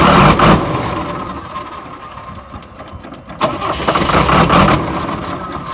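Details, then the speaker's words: 1994 Ford F-700 flatbed truck, believed to have a 5.9 straight-six with an automatic: it cranks and catches with a loud burst, then fades and dies, and a second try picks up and sags; it won't keep running, and a fuel issue is suspected. "it does sound good when it starts but it turns off it has a fuel issue you see how it turns on and it cuts off"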